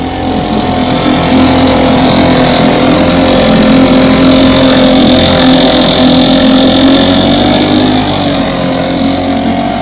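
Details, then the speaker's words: 1960 West Bend 2 hp outboard, model 2901, fully rebuilt (restore), barrel test run after restoration: small outboard buzzes steadily at fast even pitch with water splashing; running clean, normal. "Got her completely rebuilt, painted, waiting on decals. I should think Randy and Terry are going to make their own. So I'm about to set her in the barrel and do a barrel test run."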